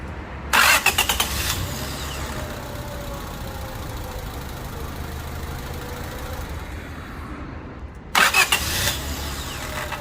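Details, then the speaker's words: Honda Civic 1.7L with a random-start problem, after the starter S terminal was re-crimped: two quick, brisk cranks, each catching in under a second, with an even idle between. Normal starter cranking, no longer a drag start. "Sounds decent when you start that starter. When you turn that key, it has that different sound now, because maybe it's a different starter, you know, different brand, different sound, but sounds decent to me."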